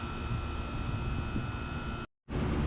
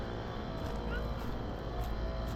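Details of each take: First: HVAC condenser units running outdoors: even, steady compressor hum with constant pitch, no knocks or rattles; normal running. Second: Carrier Gemini outdoor HVAC unit running: loud, heavy, steady rumble and rattle; sounds wrong, cause unknown.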